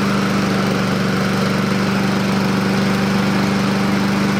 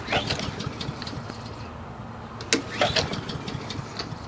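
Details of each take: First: Husqvarna push mower with auto choke, after sitting a long time and a spray of carburetor cleaner: small engine holds a steady, even note, dips twice with throttle and recovers; runs clean now, carburetor judged not dirty. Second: Husqvarna push mower small engine with auto choke, sat a long time, fuel shutoff and kill switch released: two recoil pulls spin it over but it never fires; cranks but fails to start, carburetor cleaner applied next.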